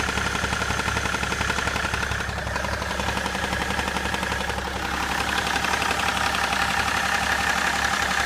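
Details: Late-2004 BMW E61 535d diesel at idle: a sharp, regular knock about three times a second over the clatter, loudest at the front of the engine near the intercooler; cause not yet identified.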